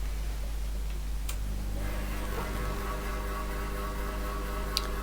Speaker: that sounds so good the loud knocking is stopped just the hum from the motor little bit of noise from some of the pulleys but other than that it's now running quite smoothly